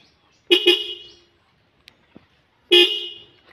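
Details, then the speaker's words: 2013 Honda Supra X 125 R motorcycle fitted with a Denso Fortuner/Innova car horn wired through a relay: two quick loud honks, a pause, then another, each a strong, clear two-tone blare. The horn works properly. "nah ini inilah suara aslinya flexon Denso ini mirip banget seperti"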